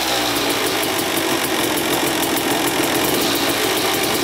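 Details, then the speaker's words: 2000 Suzuki RM250 two-stroke after welding split on underside of expansion pipe: crisp, even buzz with regular fast pulse, no raspy hiss; weld holding without leak, oil not milky so water pump seal likely good. "all right let this thing run for about 10 minutes the pipe is fixed on the bottom it doesn't leak out there so the weld is holding up good"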